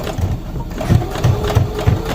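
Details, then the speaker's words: New CS6000i sewing machine sewing slowly at low speed, light pedal: dull knock about three times a second in step with needle strokes, thread breaking at higher speed; unexplained knocking, owner unsure if normal. "And I'm not pushing down really hard on the pedal either. But you can hear it. Something's knocking."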